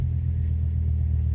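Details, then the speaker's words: Fiat Coupe 20V Turbo petrol engine at idle, full oil pressure, boost gauge working: deep, even rumble with steady beat and no tapping or knocking; normal idle. "starts up okay and get full oil pressure boost gauge works engine actually sounds pretty sweet to be honest can't hear no tapping no"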